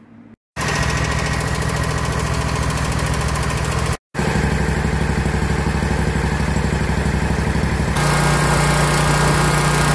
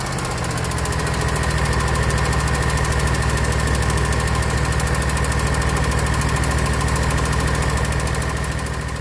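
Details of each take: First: 2021 Scag Patriot mower with Kawasaki FX691V V-twin, 80.6 hours, after valve lash adjustment (loose cylinder 1 intake set to 0.10–0.15 mm cold) and a new valve cover gasket: steady, even idle with no valve tick; normal idle. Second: Kawasaki FX691V on a 2021 Scag Patriot with 80.6 hours, before valve adjustment: a sharp, even tick at about 200 a minute over the idle hum. Cylinder 1 intake valve was found loose at 0.010 in; spec is 0.004–0.006 in cold.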